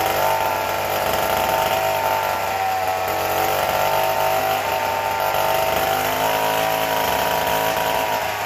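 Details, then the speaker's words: McCulloch Model 73 two-stroke chainsaw with little use, run on the bottle: screams at a high steady pitch unloaded, never dropping to idle. Air leak suspected, possibly a failed intake gasket; gaskets and crank seal to be replaced. "she runs real fast and my hand was off she saw it up here and she was moving so we have an air leak somewhere"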